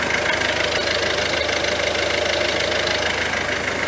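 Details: Ford C-Max 1.6 diesel with the gearbox reinstalled after the differential bearing whine: engine runs evenly with a soft rhythmic beat and no whine or growl from the gearbox; normal gearbox running.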